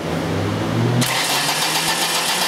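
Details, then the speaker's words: Ford Escort ZX2 2.0 (2003, also called 1993): short burst of steady cranking with no catch. The computer does not react to a cam pulse fed into the crank signal; it has a VR-type crank sensor with a floating ground. "see my cam pulse I'm actually sending that cam pulse down into the crank the computer's not reacting to it it's just doesn't like what it's seeing"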